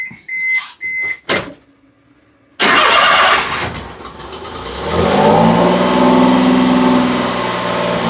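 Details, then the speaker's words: Fuel-injected three-cylinder Kei mini truck, rescued after crank-no-start issues and low compression: a few beeps, then it cranks, catches quickly and runs smooth and even as revs rise; fires off like it's supposed to. "Runs great, fires off like it's supposed to."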